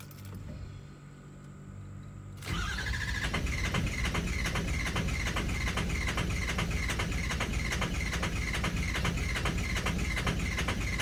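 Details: Ford 6.0 engine: after a quiet start, the starter cranks at an even beat of about two and a half turns a second and the engine never fires; crank no start.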